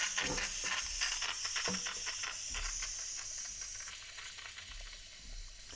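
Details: Bialetti Brikka moka pot, deep clean with white vinegar and hot water, steam valve off, flow restored after blockage: loud steady steam hiss with irregular spitting and gurgling bursts, free healthy flow; normal brewing hiss and gurgle.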